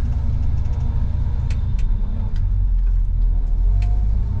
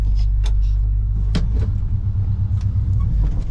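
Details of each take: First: Lifted squarebody Chevy truck on test drive, hubs locked, in reverse and moving after the fix: even low driving rumble with light scattered ticks, no clunk; earlier noise from the transmission tunnel is gone. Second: Lifted squarebody Chevy with small-block headers and glasspack, clutch replaced this summer, hubs locked for snow: low rumble with scattered clunks from the transmission tunnel area driving forward in 4WD, barely heard in reverse.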